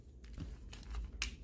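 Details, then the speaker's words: Cooler Master MM710 mouse after the post-travel fix: sharp, crisp single clicks about every half second with no rattle or creak and barely any pre-travel; the buttons had been touching the plastic beneath. "now the clicks are super crispy there's barely any pre-travel compared to before"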